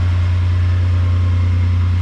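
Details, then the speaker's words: Toyota 80 Series LandCruiser after swapping the mass air flow sensor: fires straight up into a deep, even idle with no stutter; the off-idle flat spots and stuttering are fixed and it runs less rich. Normal idle. "Fire straight up. No problem. And no stutter or idle whatsoever. Pretty happy with that."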